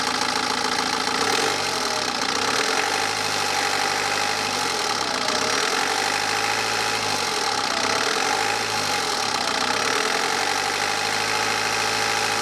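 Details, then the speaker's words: BMW 318d N47 diesel revved several times, rising and falling with a light metallic rattle on top; owner asks if the timing chain, reportedly replaced 40–50,000 miles ago, sounds bad; possibly the chain, not certain. "So then, what do we think? Does the timing chain sound bad on this?"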